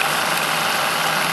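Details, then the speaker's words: Saito T2DR steam engine on B2F boiler, alcohol burner, pre-lubricated with motor oil, throttle eased back: soft, even steam hiss with no knocks or catches; engine running nice and smooth. "engine's nice and smooth pull back on the throttle some more"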